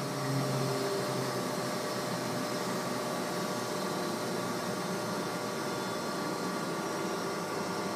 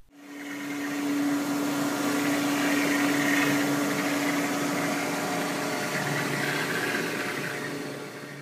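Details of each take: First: Close-coupled centrifugal water pump slowed by a Flux Drive adjustable speed drive to reduce flow: steady, even hum with a smooth flow rush and no crackling or gravel; runs quietly without cavitation. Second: Centrifugal pump running at full speed, valve wide open, 226 gallons per minute, motor drawing about 2.25 kW; oversized pump cavitates, giving a loud crackling, gravelly hiss over steady motor hum, which can cause long-term damage.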